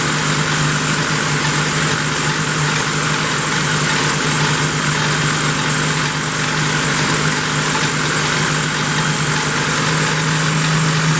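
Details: 1972 Plymouth Roadrunner 383 Magnum V8, started after sitting 15+ months unrun, during cam break-in with stock/RV-grind cam: even, steady high-idle roar, no knocks or misses, holding constant speed; normal fast idle.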